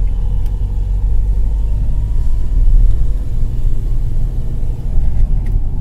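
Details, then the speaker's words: Mahindra XUV500 test drive over speed breakers and potholes after opening and repairing the front suspension/steering for a left-side clunk over bumps: even road rumble, no knock or clunk from front left, steering quiet; complaint solved, steering centred, slight left pull. "यह देखिए यह हमारे गाड़ी में कोई आवाज नहीं है"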